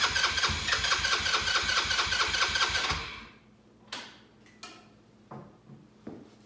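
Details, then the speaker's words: Cheap Chinese 4-wheeler buggy that sat 2 years, carburetor flushed and gas now gushing from the overflow (owner suspects a dislodged seat): engine catches with quick, fairly even firing for about three seconds, then cuts out. "So I'm thinking that I probably dislodge the seat inside the carburetor, which there's nothing I can do, but good news is I've got it running. So let's hear it."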